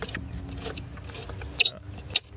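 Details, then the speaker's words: 2007 Nissan Xterra blower motor, removed and turned by hand: handling rattle with two short, high chirps; dry squeak suggests worn, rusty motor bearing, suspected not confirmed; being replaced. "I'm some squeaking noises a tournament I would say that the bearing is going bad on this it is a little rusty when I look down inside that hole there"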